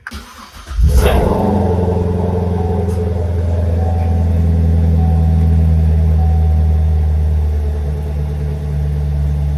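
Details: Chevrolet Corvette Stingray 3LT V8, first start after wreck rebuild, cold; short crank, then it catches cleanly and settles into a deep, steady, even high idle, no dash warning lights; healthy start.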